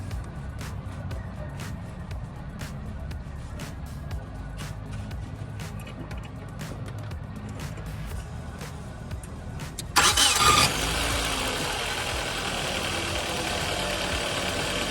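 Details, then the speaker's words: Nissan car that has run poorly for four to five months, owner suspects the starter bendix or ring gear: cranked repeatedly, sometimes seeming to slip, until the engine catches with a sudden roar and settles to a hum; cause unconfirmed. "Bueno amigos como ahí ven ahí encendió el llavazo no sé qué rollo pero pues hay veces que la neta que tanto intento que le doy es cuando ya hay como que se empieza así como a patinar o algo por el estilo"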